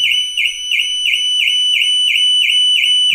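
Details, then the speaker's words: New Audi Q6 e-tron, alarm triggering on its own during remote app activation amid repeated software, lock and tailgate sensor faults: loud high two-tone siren pulsing about three times a second, then cutting off. "Natomiast jedyne co się włączyło to w tym momencie alarm samochodu."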